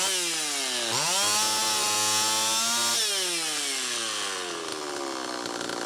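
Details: Homelite Super EZ chainsaw after the carburetor was fixed and the high needle reset from about four turns out to one; thin buzzy scream sags, recovers, wanders while held open, running lean. Air leak at crankshaft seal suspected, likely flywheel side.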